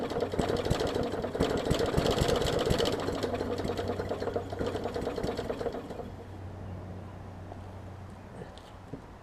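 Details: 2014 Bolens push mower with Briggs OHV engine, leaky needle and seat; flooded, loud uneven chugging about four beats a second, fading and stumbling toward stall while purging excess fuel; running rich.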